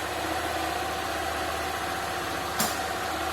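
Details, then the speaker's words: 2022 Honda CG 160, 10,000 km, on gasoline, first cold start: steady single-cylinder idle, then one hard clunk like gears breaking when first gear engages; cause not yet pinned down. "deixou desligar aqui para vocês quem percebeu aí que ela deu na primeira partida quando tá frio daquele tranco Viu como se tivesse quebrando ali as engrenagens ali"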